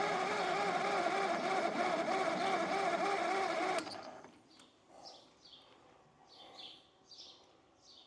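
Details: John Deere 720 tractor, hard to start: the starter churns steadily at about 220 turns a minute without catching, then drops off; it cranks but won't start, and the starter may now be binding.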